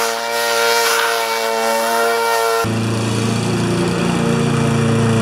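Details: Normal running under load on a Briggs & Stratton mower with a Pulsa Prime carburettor, which had a flooding carb and diaphragm issue. During a test cut the engine note is strong and even, holding steady and pulling as it bites into the grass.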